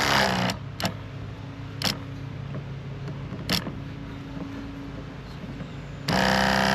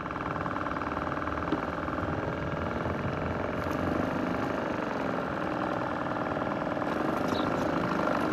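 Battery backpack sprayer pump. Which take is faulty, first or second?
second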